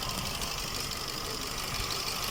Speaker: और इसका कोड आ रहा है P0304 देखिए सिलेंडर 4 मिसfire ओके यह सफर गाड़ी है।